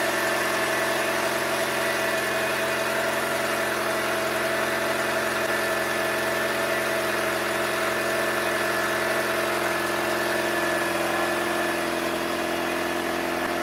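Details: Ford Escape Hybrid, cold idle: steady idle drone with a faint rapid puffing tick; owner suspects an exhaust flex pipe leak but is unsure of the exact leak location.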